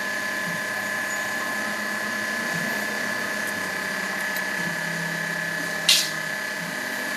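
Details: Hyundai Starex power steering: steady high hum over the engine while the steering wheel is turned; power steering hum when turning, cause unclear.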